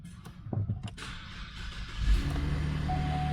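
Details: 2012 Cadillac CTS after work on a suspected rear wiring fault (park brake module/park sensor side) behind flashing warnings, rear bumper off: cranks, catches and settles into a steady, even low idle; healthy start, only tire pressure and park assist messages remain.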